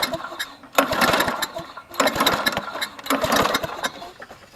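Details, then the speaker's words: Trash-found Toro GTS push mower, not run in a while, originally missing spark plug, fresh plug and a little gas added: three quick pull-starts, rattling whir dying without firing; good compression but no spark. "we have no spark no spark as you heard in the first part of the video it sounds like it's got good compression but no spark"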